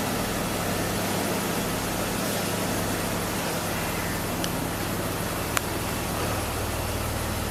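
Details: 2002 BMW 330Ci after fuel pump replacement: steady, even idle with smooth low hum, no misses or knocks; healthy normal idle, now smelling only of plain fuel.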